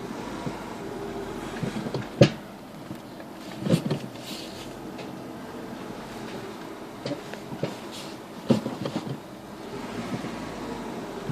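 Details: Renault Megane Mk2: three single dull clunks, one each time the brake is applied while reversing; source not yet identified.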